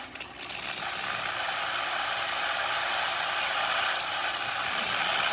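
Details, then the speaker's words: Breville espresso machine after pressure service with OPV adjustment, at temperature during steam test; vibratory water pump pulses with a steady bright tack-tack rattle, no sputter or drop-off, steady steam; normal vibratory pump operation, pump previously weak causing poor steaming. "Once the machine is up to temperature, the water pump will start pulsing. You will hear that tack, tack, tack, tack, tack going around it, and then you will see steam coming out through the one, and as you can see, nice and steady."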